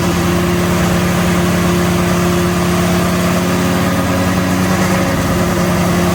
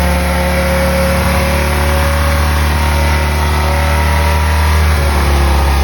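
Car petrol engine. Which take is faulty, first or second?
first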